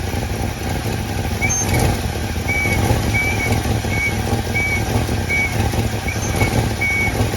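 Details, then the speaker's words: 1966 Plymouth Fury III, Poly 318 V8, after new coil, plugs, distributor cap and fuel work: now idles on its own without throttle, steady, even and very quiet, where before it needed high throttle; intermittent high beeping in background. Normal idle. "Hey, it's actually running, right? Yeah. Before we couldn't get it to run by itself like this. You always had to keep the throttle very high. But it seems to be actually doing its own thing now. Very quiet."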